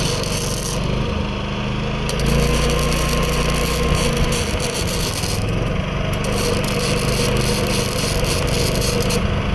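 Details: New Predator 11,500 W inverter generator powering a Chinese inverter welder: a steady engine drone holds speed with arc crackle on top and no hunting. The owner notes only the noise level; it runs normally under welding load.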